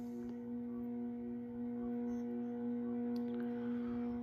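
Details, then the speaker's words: Early-1980s CEC-made Moss Heirloom Olympus 52-inch ceiling fan on low, about 55 RPM, at a likely factory trim setting: a steady, droning electrical buzz with ringing overtones. A pronounced buzz from the variable speed control. "So, as you can hear, this fan definitely has a very pronounced variable speed buzz to it. Definitely one of the loudest fans in that aspect that I own."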